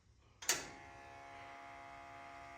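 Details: Ford Model A rat rod, electric fuel pump hot-wired and feeding a 3/8 line from the fuel cell to the carburetor: a click, then a steady buzzing hum at an even pitch as the pump primes normally.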